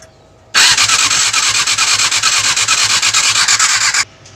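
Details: Yamaha R6 motorcycle with a hard-starting problem: three and a half seconds of fast rhythmic starter cranking, about three pulses a second, engine never catches.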